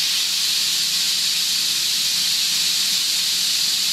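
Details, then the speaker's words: Homemade steam safety valve set at 120–130 psi after an improved blowdown ring; loud, steady steam roar as the valve lifts and vents, sustained and even with no chatter or fluttering: normal safety valve lift. "there she goes it's going to go boom I love it pop pop that pop I love it brings tears in my eyes"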